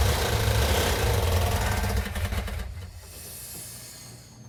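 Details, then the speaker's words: Rebuilt 340 V8 in a Cuda, sat about a year after building, at first start: heavy, lumpy, uneven idle near four pulses a second, sagging; running on about six cylinders because of low compression. "well what's going on is we had uh two problems with our 340. we actually had three problems when we initially fired it off it was running on about six cylinders so we did a quick compression test to find out had low compression on it"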